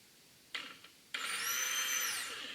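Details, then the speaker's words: Rebuilt fuel pump for a 2013 Kawasaki STX-15F jet ski, bench-powered from a jump box after the old pump was found seized: steady high-pitched electric whine holding evenly, pump running normally. "And you'll hear that fuel pump runs, so that is huge. This fuel pump is completely rebuilt and ready to go in the jet ski."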